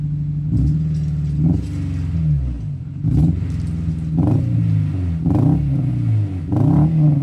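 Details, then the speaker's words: Engine just brought home after sitting, old brown liquid drained from gas: repeated revs stumble and sag, idle nearly dying on return; likely misfire, owner suspects residual old fuel, tank debris or bad spark plugs. "But you can hear it's got like a probably a misfire or something. So, could still be some old residual gas maybe or maybe something it's sucking up from the tank or something. But, uh or just bad spark plugs or something."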